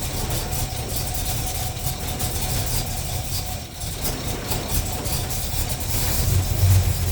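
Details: 350 Chevy small-block after intake manifold gasket and fan clutch replacement, first start with choke; steady low rumble at idle with an even beat, no ticking or puffing from the manifold. Normal idle.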